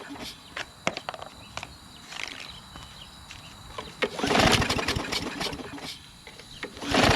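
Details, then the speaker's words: Craftsman push mower, Briggs 550EX engine, running rough, testing with propane fed instead of fuel: several rope pulls with brief rasping crank, never fires; owner doubts carburetor, suspects internal engine problem. "I don't think it's going to work, guys. Alright, that's not going to work. I don't think it's carburetor. I just don't."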